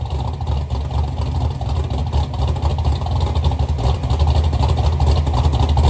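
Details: Chevy Nova V8 with rebuilt twin carburetors, heard from towards the back of the car; deep lumpy rumble with strong steady exhaust pulse, more compression thump than the assumed 10:1, no misses or rattles, sounds really good.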